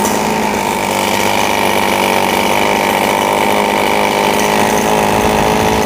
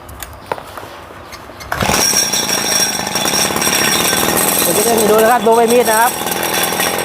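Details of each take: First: RBC 411 brush cutter with broken clutch bowl after replacing damaged clutch parts: steady high buzz with no rattle or grinding from clutch or blade, runs smoothly. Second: RBC 411 four-stroke brush cutter: engine revs freely and climbs in pitch with no load; blade won't turn even when throttled because the clutch bowl is broken.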